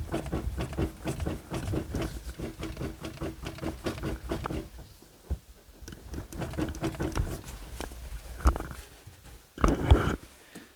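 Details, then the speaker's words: Second-gen Dodge Ram, wheel turned at rest: irregular dull clunks come in bursts; front end is badly worn and the hubs wore out after only a few days of street driving. "so front end is wasted the front end needs to be gone through the hubs are shot"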